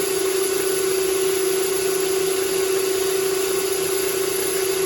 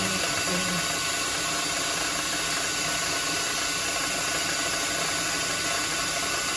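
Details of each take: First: Steady mid-pitched ringing over cutting hiss on a lathe: chatter from long 8mm brass rod overhanging the chuck while turning shelf pegs down to about 7mm for M7x1.0 threads. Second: Lathe turning 8mm solid brass rod down to about 7mm for M7x1.0 threaded shelf pegs; steady even cutting hiss and hum with no rattling or squealing; clean cut, no chatter.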